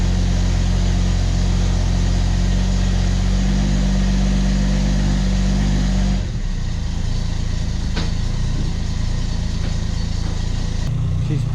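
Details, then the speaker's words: 1991 Ford XF Falcon ute at idle after a new muffler: a low, even exhaust rumble with no rasp, blowing or rattle. The big catalytic converter is credited for the quietness, though the engine still stumbles slightly at idle. Normal idle. "quiet but I didn't necessarily want this one now but I don't think we've got that new muffler to blame for that I think that massive big catalytic converter is probably what we've got to blame for the quietness thank you emissions"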